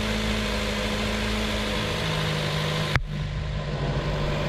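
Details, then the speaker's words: Nissan Teana J32: uneven shaky idle with wavering drone and a thump as it nearly dies; rough idle that sometimes stalls, first suspected ignition coils, attributed to an intake gasket air leak. "อาการมีอยู่ว่าเดินเบาไม่เรียบเครื่องสั่นนะครับแล้วก็ดับกลางอากาศก็มีนะครับ"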